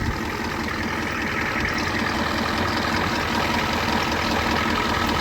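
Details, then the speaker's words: Farmall F-20 tractor, unused for 11 years, jumped from two Group 65 batteries on a 7.3 IDI diesel truck: slow labouring crank at about two and a half turns a second that never catches; old worn-out battery cables starving the starter. "Yeah, it's definitely the wire connections. They're just old sacked out wires."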